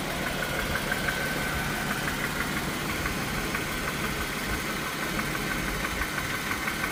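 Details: Dodge/Chrysler/Jeep/Ram 3.6L V6 idling with a light, regular knock about three times a second riding over the engine note: rod knock.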